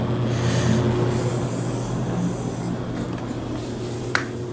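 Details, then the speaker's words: Vintage Lakewood S-223 box fan with Westinghouse motor: steady low motor hum with a coarse buzzing rattle that just started; something vibrating, cause unknown. "something is vibrating I'm not sure what that is whatever that sound is it's making right now it just started happening"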